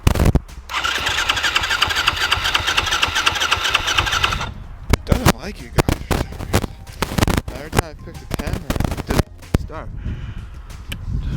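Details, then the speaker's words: Lazy 250 dirt bike, hard starting without choke: engine catches and runs a few seconds, then dies into repeated sharp kick-start clunks. "They're having problems starting without the choke, so let's"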